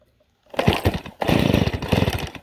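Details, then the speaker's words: Chainsaw cold start on full choke: two pull-start bursts of quick chugging, the second catching briefly with a sharp pop, the first firing that signals flipping the choke up to the next position. "See, when you hear it kind of start like that, that's when you can flip it up to your next position."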